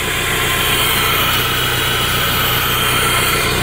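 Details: 1992 Toyota MR2 on its first fire-up, with no coolant in the system. Steady, even idle with a smooth mid-pitched hum and no knocks or misses. Normal idle.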